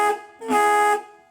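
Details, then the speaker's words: 1942 Harley-Davidson Knucklehead horn after cleaning wire connections: two clear blasts, a short toot then longer, strong steady reedy tone; horn working properly. "They'll hear you now. Sounds like a train coming. Yeah, they'll hear you. Harley horns are not very loud."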